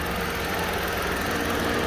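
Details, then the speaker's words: 2021 Chevrolet Onix Plus Premier automatic, cold start at 6 a.m. after about 12 hours parked, hood open; smooth, even hum with steady rhythm and no ticking or knocking; owner's reported engine noise absent, healthy cold idle. "aí o carro aí simplesmente não tem barulho nenhum de motor entendeu"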